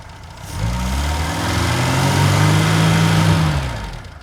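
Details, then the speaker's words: Reliant Fox engine, hot, with the thermostat removed so coolant now circulates through the radiator and it is not overheating; it catches, swells, then sags and hunts rather than settling. Unsteady idle. "Yeah, I seem to be struggling a bit with idle at the moment, but yeah, it is generally not overheating and stuff."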